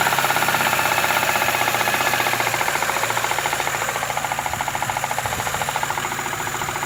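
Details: Daewoo Lanos 1.5 four-cylinder engine running: steady light metallic tapping at about two per second, an engine knock from inside the engine; the owner asks what it is, cause unknown.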